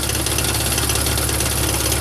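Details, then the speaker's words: 2001 BMW E46 at idle, recorded from under the car: fast steady metallic buzzing rattle from near the exhaust; owner suspects catalytic converters failing after just passing smog, holding the pipes down doesn't stop it. "got a rattling noise. Sounds like it's the cats that are basically going out after just passing smog."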